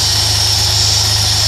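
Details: V6 in CF Bedford van after new fuel pump, regulator, injectors, coils, leads and plugs: steady even idle with constant high whistle; running smooth and healthy.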